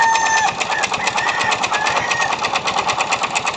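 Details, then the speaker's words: Yamaha Mio Soul i 125 scooter idling with pulley set contents removed: fast, sharp knocking about three per second over light idle; owner thought pulley or back plate, but the noise is a worn connecting rod, not the transmission. "Anong naririnig niyong ingay mga kaibigan? Connecting rod po 'yan. Hindi po 'yan ah pulley or bola"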